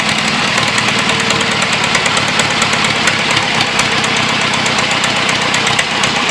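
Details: John Deere 2640 diesel tractor being revived, on a new battery: the unmuffled engine clatters loudly and evenly at a fast, steady beat with no misses. Running properly.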